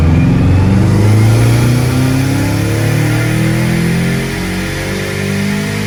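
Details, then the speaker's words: Dyno wide-open pull after fitting new coils on cylinder 4 to cure a problem: strong, smooth pull with steadily climbing pitch, no stumble or misfire; about 323 wheel horsepower and 300 torque; normal full-throttle pull. "yeah there we go much better look at that there we go fixed it all right now we can start tuning"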